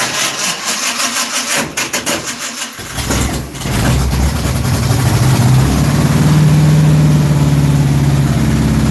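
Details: Dirt track race car V8 with oil pressure problems, distributor timing being adjusted, worn rebuilt junkyard starter: cranking with uneven catches, then fires and settles into a steady, throaty idle with a faint lope; engine gets hot; normal idle.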